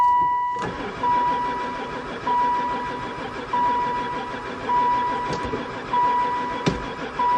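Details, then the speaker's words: Van sitting about four years, gas added; starter turns over at a steady even rate but never catches, oil light now off; crank no-start, owner suspects no spark. "Never fired once. [Music] [Music] Oil light's not on anymore. Still no go."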